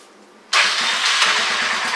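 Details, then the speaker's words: Honda Fourtrax 300 ATV, left outside ~10 years with old gas, after cleaning petcock and filters: silence, then engine catches at once and settles into an even, steady run. Normal start; fuel delivery was the problem. "fired right up so that was all that was wrong with this four holder"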